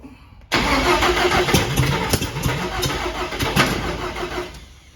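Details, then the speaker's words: Cab-over van conversion engine cranking after the distributor was pulled and flipped 180° at top dead center. Steady cranking churn with sharp irregular pops. Backfiring while cranking. "that sounds like a timing issue that definitely sounds like a timey issue"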